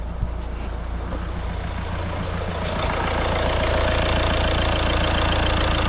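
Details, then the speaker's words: Caddy at 81,370 miles after a week of repair work: even, steady, very quiet idle with a smooth low hum and no knocks, ticks or misses; slight belt squeal at startup, no leaks. "That sounds absolutely so quiet, so quiet. I'm well chuffed with that, well happy."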